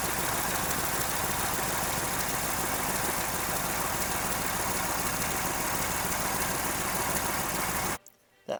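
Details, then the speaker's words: Chevrolet Silverado idling with the exhaust manifold leak pinpointed: hot air can be felt blowing at the spot. A sharp, irregular puffing tick of about three per second rides over a hiss. "Alright, I seem to pinpointed it to this spot. If I put my hand up here, I can feel hot air blowing onto my hand. That's pretty hot."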